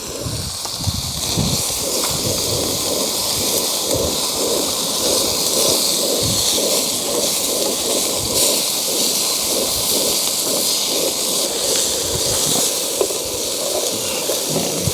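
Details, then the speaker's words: Trangia 25 UL HA gas burner on a gas cartridge adapter while cooking: loud hiss with fluttering pulse about three times a second, unsteady flame; owner suspects a poor seal between cartridge and adapter sucks in air, destabilizing the flame. "That gas canister just doesn't like that, does it? You can hear the air sucking in from somewhere."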